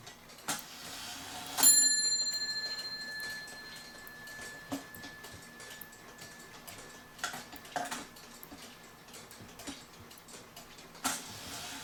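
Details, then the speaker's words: E. Schmeckenbecher Nuremberg church clock after repair with 3D-printed parts: light, slightly uneven ticking with a bright chime and small clicks while the music plays and the figure goes around; it runs normally. "now let me finish playing the music and you see him go around"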